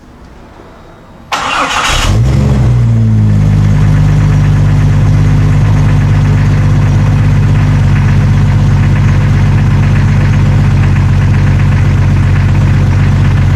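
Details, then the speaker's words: 1999 Jeep Cherokee XJ before exhaust replacement, old welded muffler with catalytic converter: cranks, catches and settles into a steady, even deep drone at idle; exhaust sound and unbroken, owner just wants a different tone. "It's not too bad, but we're going to be replacing it with something different today, because I want to change the tone a little bit. Instead of having that driving drone that I'm kind of getting bored of, I want something a little bit different, something hopefully a little bit more aggressive or throaty."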